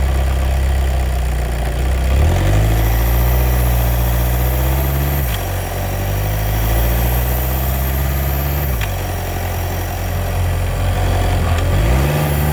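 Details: VW DSG DQ250 gearbox at idle: steady idle where the low drone rises and drops back about every three seconds; cycling clutch noise.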